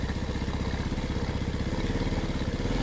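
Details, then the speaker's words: Rebuilt Yamaha Vega ZR single-cylinder engine, just reassembled, on choke: fast, even high idle with steady firing and no knocks or rattles; engine smooth, oil spraying properly at the check point. "Oke, ini udah nyala dan mesin udah halus, oli nyembur."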